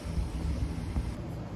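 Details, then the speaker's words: 2014 Hyundai Sonata engine cooling fan, AC blowing hot, fan powered directly by test wires: low steady whoosh without scraping or wobble; fan motor works, fault is no power from the control module, which needs replacing. "The fan is now spinning. So, that means the fan is totally working."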